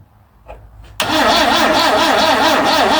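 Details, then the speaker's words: 1974 Vauxhall Magnum, unstarted for 37 years, with extra lead direct to starter: a couple of clicks then steady wavering whirr, engine never catches; crank, no start, battery found flat. "No. What the hell's going on? It is making a little bit of a something."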